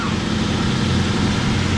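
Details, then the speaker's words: 1998 Ford Mustang GT 4.6L V8 idling right after an alternator replacement, not yet at operating temperature; the smooth, steady low burble has no squeal, knock or charging whine, working fine so far. "all right guys well so far it's working just fine"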